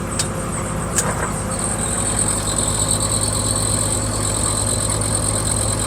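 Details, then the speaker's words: 1963 Ford Falcon Futura heater blower after new heater plenum and defrost ducts were fitted: steady airy whoosh with faint high whine and a couple of early clicks as the fan spins up; blowing fine, though owner thinks the blower wheel may need replacing. "well that thing's blowing out good so oh pull for heater okay"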